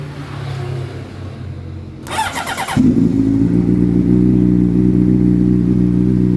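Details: 19-year-old, rarely used big bike with a faulty start relay: starter whirs for under a second, then the engine fires and settles into a steady run.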